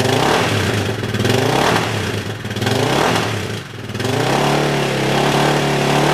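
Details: Yamaha 660 single-cylinder after carb re-jetting for a lean condition, tank loosely fitted, clutch switch held; blips up and drops back cleanly several times then settles to even idle, very little popping, jetting right.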